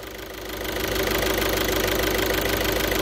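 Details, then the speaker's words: 2012 VW Jetta 1.6 diesel after repair, restarted: even idle clatter at about three beats a second that settles as it idles, no grinding or scraping; no flywheel problem, normal. "gene ucuz yırttın volantta bir sıkıntı yok Allah'a şükürler olsun arkadaşlar ses soluk yok"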